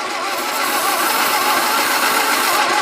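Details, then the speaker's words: 1953 MG TD parked 45 years, cranking with plugs refitted and gravity-fed fuel: steady, even compression beats but it never fires. Owner suspects oil-fouled plugs. "done yeah it's done let's go pull the plugs out see if they they're oil fouled"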